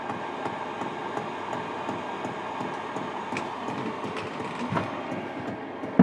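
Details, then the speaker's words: Hcalory Toolbox 2 compact diesel heater on the high setting: sharp regular dosing-pump ticks over a steady fan hum, getting quicker as it ramps up; normal operation. "Certainly sounds quieter now because I've got it on the high setting. Can you hear the pumps getting quicker and quicker?"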